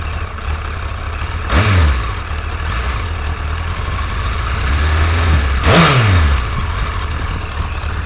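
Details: Suzuki GSX-R1100 four-cylinder after fixing a leaking exhaust seal that caused a ticking sound: smooth idle with two clean throttle blips, no ticking heard, normal idle.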